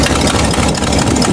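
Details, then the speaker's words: Old V8 Buick that stalled and ran on about four cylinders, after new distributor cap: restart after sitting, even steady idle, no misses; slight shaking normal, manifold gasket smoking. "But it's running now. Nice and smooth."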